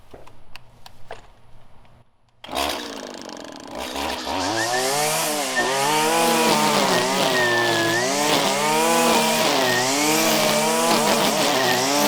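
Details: 1997 Stihl Pro Series FS two-stroke trimmer cutting grass at full throttle: crisp high wail dips and recovers smoothly as the line bites, clean strong running under load; normal full-throttle running.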